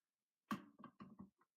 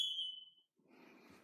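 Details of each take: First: Kidde ionization smoke alarm (model possibly 1275), hardwired and interconnected, sensor test: shrill high-pitched beeps in quick repeating bursts then silence; sounding properly, confirming interconnection wiring works. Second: Kidde/Firex ionization smoke alarm, mounted higher than the others; shrill steady tone sounds about half a second then stops; it responded slower than the other alarms, owner suspects mounting height.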